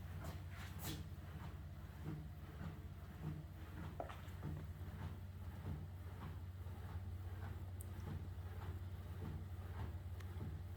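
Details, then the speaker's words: Recently purchased Sole E-25 elliptical, on carpet-insulated boards with shims: a soft clunk once per revolution over a low hum, apparently from the front casing where the flywheel is, not fixed by multiple adjustments. "can hear the sound. It's coming from the front. Seems like it's in the casing where the flywheel is located."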